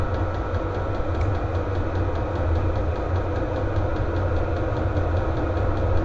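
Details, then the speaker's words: VEVOR heater lit and blowing hot air, exhaust hot: constant low combustion roar with a steady fan rush and soft even pulsing underneath, burning normally on high heat. "Ah si, ça y est, ça commence à chauffer. Ça y est. J'espère que le bruit va s'estomper quand même parce que c'est un peu pénible."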